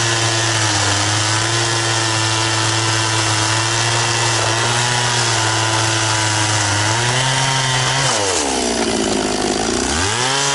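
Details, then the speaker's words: Very high-hour Echo CS-670 chainsaw cutting with a chain that cuts a little slower but stretches less: screams at high steady revs, bogs smoothly into the cut and recovers cleanly; cuts properly. "does pretty good and like I said a little bit slower but it doesn't seem to stretch the chain quite as much and it still cuts pretty efficiently"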